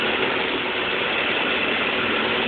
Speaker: we have this thing going on and this of course is shaking the building you can feel the vibrations inside the [Music] building